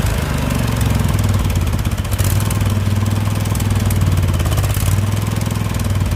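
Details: Husqvarna lawn tractor with a Briggs & Stratton Vanguard V-twin idles with a steady low thrum that swells and fades every second or so; engine surging, possibly lean, and the carburetor needs to come off.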